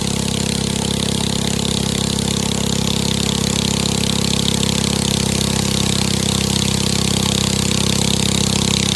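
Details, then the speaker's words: 7.5 hp gasoline engine driving a 6-inch two-way-intake water pump on a 6 m shaft, running at steady speed: a loud, even beat with exhaust bark but an intact pipe, no skips or knocks; normal running. "เครื่องเรือท่อซิ่งเสียงดังแต่ท่อไม่ได้แตกนะครับ"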